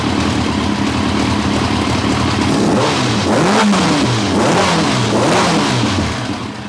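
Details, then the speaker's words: 1990 Kawasaki ZZR1100 that had been running on three cylinders, after swapping plug leads 2 and 3 back: free, even revs with a clean four-cylinder note and all four headers hot. No dropped cylinder, running smoothly. "all four of the headers was actually getting hot and it didn't sound like it was dropping like a cylinder again"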